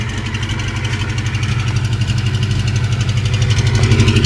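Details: 1988 Mustang after pressure-washing left moisture and corrosion in the distributor, cap and rotor; dried, retimed, coolant bled: loud low loping idle, slightly uneven at about four beats per second; still missing, owner suspects cap, rotor or distributor.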